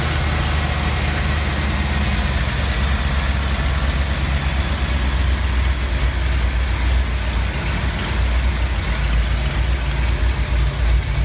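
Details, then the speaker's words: 1970 Ford F250 V8, slightly warm, after corroded distributor cap terminals were scraped and sanded: deep steady idle with even rumble, no misses or hunting; high idle fixed. "pped off that little piece of corrosion and I took some sandpaper to all of them and that actually ended up being my issue so now the engine runs really well"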